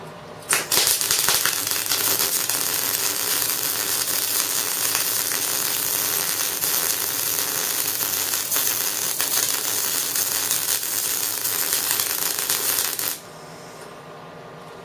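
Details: Euro-fitting MIG welder test weld right after replacing the torch liner with a generic liner. A steady crackling sizzle is held for about twelve seconds, then cuts off cleanly: an even, healthy MIG weld.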